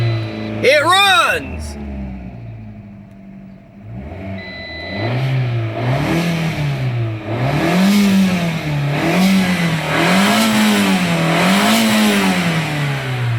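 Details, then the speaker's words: 2012 Fiat 500 at 111,164 miles, on first start after its battery had been charging: brief crank, then it catches and revs up and down smoothly about five times without stumbling; no timing belt failure, it runs good after sitting. "This thing runs. Hell yeah! It runs. I was swearing like a timing belt was bad or something, like timing belt broke or something like that. But this thing, it runs good."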